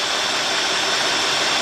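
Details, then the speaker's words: 2003 Cadillac DeVille 4.6, rough surging idle, codes P0300, P0171, P0174, P0101, P0404: steady airy hiss over a muffled engine, worse and rougher when put in gear; intake vacuum leak, intake manifold gasket suspected. "I mean, I hear it's running a little rough. I'm going to put it in gear. Oh, wait a minute. That got a little worse. And I can actually hear air more."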